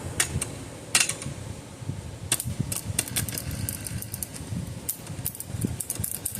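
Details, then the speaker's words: 60+ year old electromechanical electric fence charger on first power-up. Faint irregular ticking with sharp crackly snaps: the contact points are arcing on a dead short, something loose. "Ain't doing nothing. Oh. It's trying to. Those points were arcing right there."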